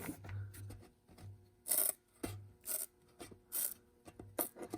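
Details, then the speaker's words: Seismic Audio GFC 12 subwoofer, cone pushed by hand: short dry rasping scrapes with quiet gaps, heard as odd spider break-in noise; the spider may be rubbing, cause unconfirmed. "Phew. That is, I've never heard a spider break in like that. That's interesting."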